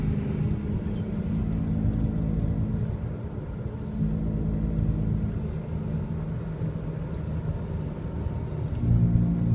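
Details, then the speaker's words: 2002 Honda CR-V driving: low droning growl under road noise, louder turning right as the left rear loads, quieter turning left; badly worn left rear wheel bearing. "so if I turn the wheel left it unloads the left rear wheel bearing and the noise quiets down if I turn right it loads it up puts weight on it and it makes it noisier"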